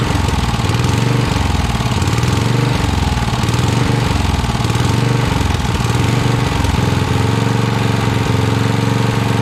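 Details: 1982 Snapper Comet riding mower, electric-start 30-inch cut, 8HP Tecumseh single-cylinder, choked: fast, lumpy, uneven beat at full throttle, won't settle lower; runs only at full throttle, carb still needs tuning.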